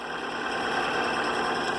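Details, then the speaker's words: Vintage 8mm film projector gives a dense, gritty, arrhythmic mechanical clatter while running; it runs rough, possibly just from lack of lubrication. "this one actually runs pretty decently turn it on it sounds rough however that may be in just a matter of lubrication"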